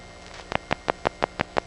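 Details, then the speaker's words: GEdney 9 panel telephone exchange in Brooklyn, November 1977: as the selecting rod rises, a little burst of static is followed by seven crisp, evenly spaced revert pulses at about six per second; normal revert pulsing. "you'll hear a little burst of static followed by 7 pulses"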